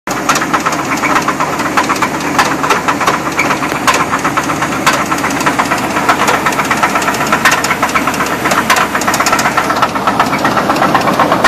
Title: 2000 Chevy Blazer engine knock